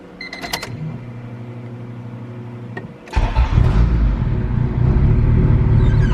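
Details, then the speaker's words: Honda Civic EK hatch with a built turbo B16, bought not running. Starter turns it over, it stumbles, then catches and settles into an even, steady idle with 80 psi oil pressure. Oil age unknown. Normal start and idle. "sounds like built motor to me who knows how old the oil is"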